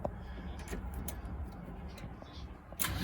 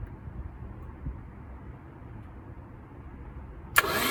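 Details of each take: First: Long-stored Porsche 924 Turbo, cranking from the ignition with a suspect starter, clearing oil from the cylinders before a compression test: uneven turning-over chug for a few seconds with no firing; cranks but does not start. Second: Long-forgotten Porsche 924 Turbo crank test with steering column wiring unplugged except ignition: after a quiet stretch the starter churns evenly at about three turns a second, a normal crank with no catch.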